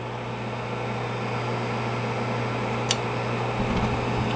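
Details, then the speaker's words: American Standard 90% gas furnace light-off during combustion analysis: inducer fan hum, pressure switch, igniter glow, then a sharp gas valve click and soft burner rush with blue flames. Normal ignition sequence. "we got the inducer going pressure switch nter should start glowing there she is you're going to hear the click of the gas valve it's all order of operation"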